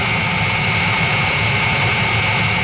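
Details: 16 kW Chinese diesel water/engine block preheater heating an off-grid cabin, starting a cycle at 34.9° display: steady even burner roar with constant high hum, no pulsing or surging; running normally.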